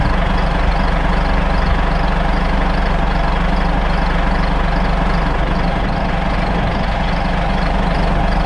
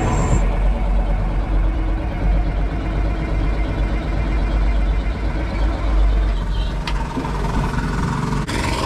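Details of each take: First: Caterpillar 3406C diesel with mechanical injection pump, just started after bleeding air from fuel system with vacuum bleeder: deep, even idle about four beats a second, no stumbling or surging; normal idle. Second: Caterpillar 3406C diesel with mechanical injection pump cranking after fuel system work, injector line nuts loosened for bleeding: steady heavy starter drone, engine turns over slowly but never fires; air in the fuel system prevents starting.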